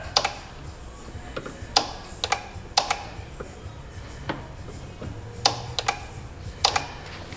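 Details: 2015 Kia Sorento 3.3 GDI with an intermittent crank-no-start the dealer couldn't fix: sharp irregular relay clicks in small clusters come when a fuse in the fuse box is pushed, suggesting a poor connection there.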